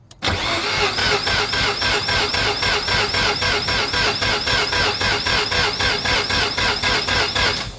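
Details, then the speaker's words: 1993 Mazda RX-7, 13B-REW rotary rebuild, T78 turbo, Power FC, custom fuel system, first start after years: cranks with even compression pulses about four per second for eight seconds but never catches; fuel pressure low, battery seems weak. "fuel pressure is a little on the low side. The battery doesn't sound strong enough."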